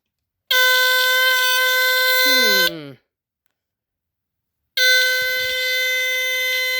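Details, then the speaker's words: Rare early Dicon 200 ionization smoke detector (SM2B, no LED), cover off; shrill horn blasts, first sagging and warbling down in pitch before cutting out, abnormal sound; owner suspects the battery, not confirmed. "It's not supposed to sound like that, I don't think."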